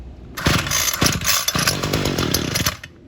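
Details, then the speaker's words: Homelite UT32650 string trimmer, about 12 years old, two-stroke, after HIPA carburetor replacement (Walbro-style) and gas cap swap: primed, full choke, catches and runs in ragged popping bursts; normal first start. "So let's fire it up. Full choke, primed it."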